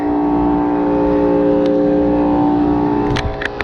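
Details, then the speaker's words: Rooftop AC unit whose compressor gives a loud, steady droning hum, not cooling, with no condensate from the drain; the contactor is burnt, the compressor and evaporator coil are iced up, and the blower motor is not starting. "You open this thing up and see why this thing sounds like crap. Doesn't sound good at all here."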